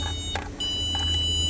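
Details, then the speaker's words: Car that won't start, starter fires when jumped directly, suggesting a signal issue; wiring traced to the BCM: run of high thin key-chime beeps with soft clicks under the dash; fault not pinned down. "Oh my goodness, the key chime. So once I got here, I'm like, "Oh, that's not good." And I keep hearing a clicking."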